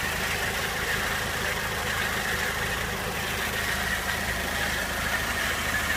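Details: 2001 Peugeot 206 1.6 16V petrol at idle: a thin, high whine over the engine, an odd noise. Owner guesses the clutch.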